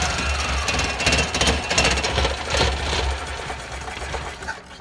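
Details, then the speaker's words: Car running on a homemade fuel-vapour bubbler system feeding the air intake; with a hose pulled off, too much air and too little vapour get in. Engine chugs roughly at about three beats a second, fades and stalls within about five seconds: lean running. "you go there's too much air coming in not enough vapor or fuel and turned off"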